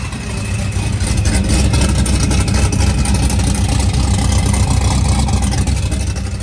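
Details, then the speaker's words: ProCharger supercharged Trans Am V8 running with exhaust cutout closed, through the muffler: deep, steady rumble with an even lumpy beat, muffled exhaust, no knocks or rattles; normal running. "That's what it sounds like, closed."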